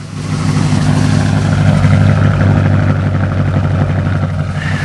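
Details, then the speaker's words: 1978 Oldsmobile Cutlass 403 V8, idle after the distributor was replaced and spark plug wires borrowed; old cap had been arcing inside. Now a deep, steady, even burble running on all eight cylinders, no knocking or misfire stumble. "a lot better sounds okay somebody is running on all eight"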